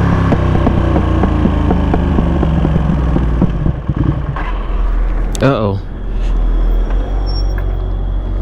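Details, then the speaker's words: 2021 Ducati Panigale V2 while riding: steady engine pulse under road noise, then revs sag and fade as the engine stalls mid-ride, a recurring issue, cause not known. "Ducati, why did my engine just stall on me again?"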